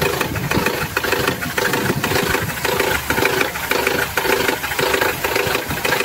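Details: Mercedes petrol engine, mechanic listening close up: uneven gurgling pulses about 150 per minute over the idle. The noise is not from the valve area up top but from lower down. Cause not confirmed.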